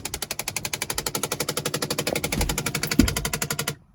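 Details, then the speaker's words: 2010 Chrysler: rapid sharp clicking about four a second from behind the front dashboard, from a bad blend door actuator, a common fault on Chrysler and Jeep vehicles. "that's what we're gonna be working on that clicking noise um you know if you guys have this noise it's very common in chrysler and jeep vehicles"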